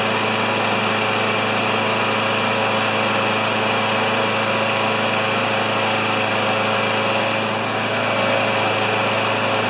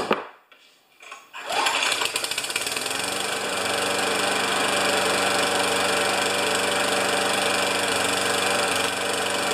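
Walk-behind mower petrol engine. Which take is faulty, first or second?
second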